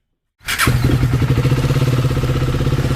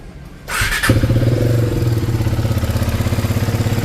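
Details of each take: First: KTM Duke 250 single after engine rebuild (tappet cover refitted, fully reassembled): starts and settles to an even, steady idle thump with no ticking or rattle; now completely silent and fine. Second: KTM Duke 250 single at idle before engine work, bike also smoking: fast uneven clatter about three per second; mechanic blames badly worn tappet shims, loose timing chain, plus valve and piston noise.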